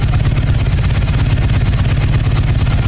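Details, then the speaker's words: Harley-Davidson EVO with Magneti Marelli fuel injection, after resetting the TPS, started cold in neutral: deep V-twin beat holding a steady cold idle on the cold idle motor, no hunting or stalling. "as you can hear the cold idle motor is keeping the idle in"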